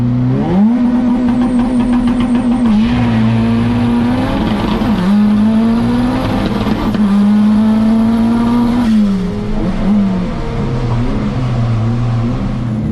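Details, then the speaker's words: Turbocharged Honda Integra with factory distributor, in-car at high RPM under boost: revs climb, then it stumbles and sputters near the top under power; owner suspects coil and plugs, and learned the factory distributor's limits. "Yeah, as you can see in that video, the in-car footage, you can kind of hear it sputtering. Hold on, it's car coming. You can kind of hear it, sputtering, climbing the RPM."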